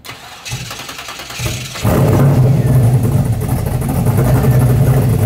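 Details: 1970.5 Chevrolet Camaro Z/28, LS6 V8 with FuelTech FT550 EFI, on hub dyno after ignition timing corrected about 20 degrees: brief cranking, then catches cleanly and settles into strong, steady idle with no stumble; normal start.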